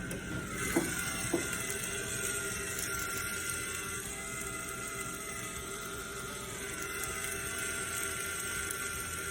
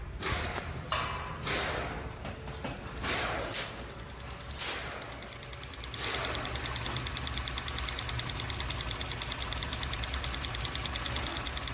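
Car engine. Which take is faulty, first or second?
first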